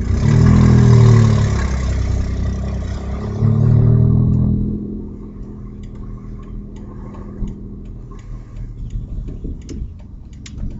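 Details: Audi A4 2.8 12V revved twice: deep rough tractor-like rumble rising with revs, then back to idle; exhaust leak right after flex pipe, before the cat, leaving one bank open; later repaired.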